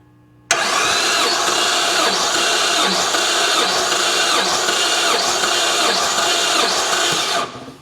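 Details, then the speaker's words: Volkswagen Routan (Chrysler-built) with a year-long steady cylinder 6 misfire, compression test on cylinder 6 cranked via jumped relay: even, steady cranking with a regular beat; compression within 10% of the others, cylinder good. "want them to be within 10% of each other and they're dead on accurate with each other so we know that that cylinder is good"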